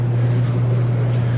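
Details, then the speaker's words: Truck just back running after an axle replacement, no oil in the engine: deep steady drone with coarse tractor-like rumble at idle; exhaust leak because a bolt came apart near the torque converter. "It has an exhaust leak just because one of the bolts came apart on the torque converter."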